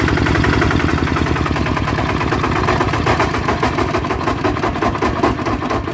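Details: Bluebird small engine before repair, runs but noisy: fast, busy chatter with rough pulsing shudder under the note, like a broken bearing; worn, loose crankshaft bearing on flywheel side.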